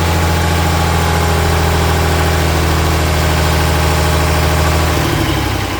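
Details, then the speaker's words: John Deere 4020 Hi-Crop Powershift diesel first started on fresh fuel, batteries and ether with no engine work: the low idle rumble wavers and sags with no throttle input. The owner suspects the injectors or the pump. "we had like no throttle response when you're hearing you know different levels of the RPM that that wasn't anything that I was doing on the other side"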